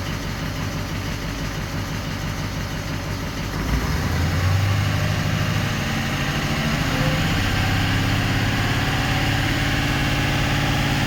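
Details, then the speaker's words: 2004 Ford 6.0L Powerstroke diesel after repairing damaged wiring harness; cranks, fires and settles into a steady, even clatter with no misfire or hunting. Normal idle, crank-no-start symptom gone. "okay so basically what's uh pretty much happened here is our symptoms kind of gone away or it has gone away not kind of anyways we repaired you know that wiring that we 've seen there"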